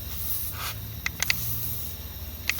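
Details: Pickup truck with a boost leak, pressurized with a homemade regulated boost leak tester after a smoke test found nothing: hiss of escaping air rises and falls as the intake boot is flexed; boost leaking at the boot, probably needs a new boot.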